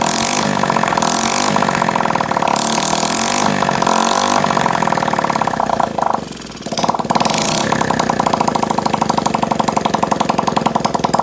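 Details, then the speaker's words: Honda SL70K1 that had a small fire under the tank, first start with fuel leaking: fast, uneven patter that stumbles and nearly stalls midway, spitting and sputtering. Owner says the dirty carburetor needs cleaning. "so well obviously the carb needs to be cleaned uh kind of spitting and sputtering a little bit now"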